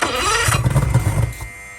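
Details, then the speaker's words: Marketplace boat outboard, compression about 100-110, leaking fuel line bypassed with temporary direct connection, run without cooling water: quick rough cranking burst about a second, never catches; cranks but won't start, owner suspects fuel delivery, wonders about a fuel pump. "Okay, so we're still having some type of fuel delivery issue. I wonder if there's a fuel pump on here."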